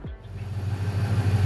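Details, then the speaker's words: 1996 Ford Ranger 3.0L V6 that lacks power, at idle: a lumpy, uneven idle with a stumbling low pulse, exhaust vibration and puffing. One cylinder is dead; an unconnected extra wire is a suspected cause. "el sonido del motor es muy peculiar vibra en el escape se escucha una especie de soplido de esta manera es como fácilmente se identifica que alguno de los windows no está trabajando"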